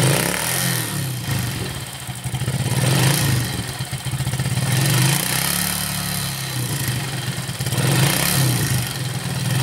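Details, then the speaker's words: Yamaha Force motorcycle, smooth when cold but rough once warm, revved: rattling clatter grows with rpm and falls as revs drop; suspected worn piston (seher oblak) and cylinder, valve clearance also to be checked; piston slap. "[Musik] Nah itu Kedengaran ketika sudah agak panas sedikit kemudian kita gas naikkan rpm-nya terdengar sekali bunyi kemelatak kataklatakatakatak Sepertinya sih di bagian sehar"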